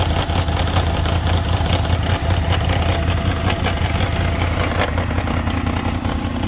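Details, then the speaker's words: 2003 Honda VFR800 with new spark plugs, which cut power while riding; after fuel treatment was added it idles with a loose, uneven rattling knock ticking over the low rumble. "800, 2003 Honda VFR 800, and it's making a weird sound."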